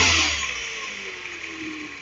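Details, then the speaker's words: 2009 Mini R56 JCW N14 engine just after VANOS solenoid replacement, chilly day: brief rev blip settles to a smooth, even run, only the slight rattle typical of these engines, no stumbles; normal running. "Good. Everything seems happy, which is good. We have engines running happily. They all sound tiny tiny tiny bit ratly these engines just the way they are."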